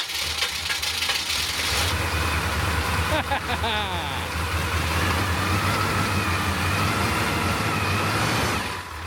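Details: Suburban 6.2 Detroit diesel just after 25°F cold start on manual glow plug button, smoking heavily: rough clattery cold idle with steady low thrum, mechanical rattle on top, holding speed; normal cold diesel idle.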